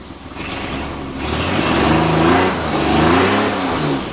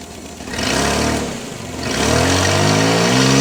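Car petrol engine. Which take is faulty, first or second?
first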